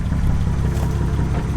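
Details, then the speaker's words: Friend's newly bought car, just got to hold coolant, refilled and warming up: loud, uneven low rumble with lumpy irregular pulses instead of a steady beat; running pretty rough and bad. "this thing is pretty rough as you can probably hear from the video it's running pretty bad as well"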